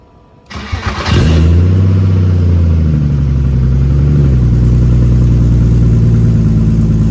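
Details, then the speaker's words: BMW E36 with stock unopened M52 turbo build, new exhaust with muffler fitted but rear section unfinished, microphone behind the car at the exit: catches after brief cranking, deep steady drone with small blips, healthy. "the muffler is on and there so should give a good representation of what it's going to sound like with the rear section completed"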